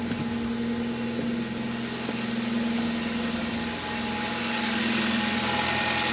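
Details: Kia Rio with G4FC petrol engine, about 200,000 km, after full engine rebuild following spark plug damage that caused loud knocking and oil consumption: smooth steady idle, clean even hum, no knocking or ticking.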